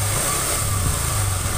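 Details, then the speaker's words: 2021 Honda Scoopy FI (eSAF frame, Genio-generation engine) scooter at idle, checked from right side: loud coarse rumbling with gravelly uneven undertone from the middle crankcase; damaged crankshaft bearing. "Honda Scoopy FI generasi mesin Genio di mana bagian mesin suaranya itu kasar ini untuk analisa di bagian kanan karena mesin ini gemuruh suaranya itu gemuruh"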